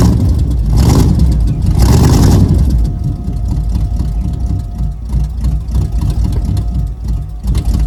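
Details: Freshly 305-swapped built Camaro V8 with headers, first start after a new distributor was fitted (a sheet-metal screw in the oil pan had blocked it): two quick throttle blips, then a low loping idle about three pulses a second, running fine.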